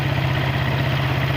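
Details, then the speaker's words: Suzuki Satria FU carbureted single after fixing a carburetor membrane spring installed upside down, which caused hard morning starts and stalling at initial throttle; now starts with one kick and idles with an even low putter, no misses or surging. "Motornya menyala, suaranya normal."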